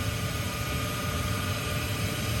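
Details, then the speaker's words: Trane XV95/XE80 HVAC unit, after a storm-damaged control board was replaced: the inducer motor gives a constant airy rush with a thin high whine while winding down. Unusually noisy; a replacement part is to be ordered. "So, it's kind of noisy even winding down, but it shouldn't be that noisy. So, I'll be ordering a new part for that here soon."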